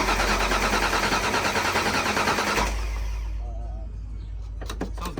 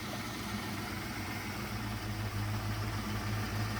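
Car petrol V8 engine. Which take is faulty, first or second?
first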